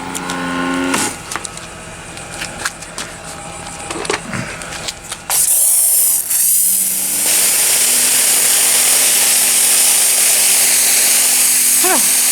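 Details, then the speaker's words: Ryobi 40V pressure washer after a repair fixing the hose swivel with a stainless bolt and clamp: kicks on to a steady hiss and motor drone. The on-demand pump runs normally, and the cooling fan cycles on and off. "that's very interesting it's it's an on demand pump if you can hear that noise it's just a fan cooling things down but it Cycles on and off much like my 120"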